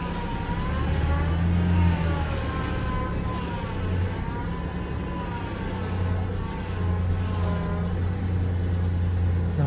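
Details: Truck with intermittent power steering loss, treated without bleeding the lines, engine idling: a thin whine wavers up and down as the wheel is turned left and right. Power steering pump whine.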